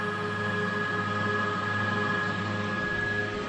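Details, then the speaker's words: Blowers on a wood gasifier fitted to a Silverado, first flare, with the firetube not yet insulated and the wood still too wet: a loud, steady roar with faint constant tones over a low rumble; the blowers run evenly, just noisy. "I can all hear the Roar for the uh for the blowers are a little noisy but you see we've got a lot of snow coming out here"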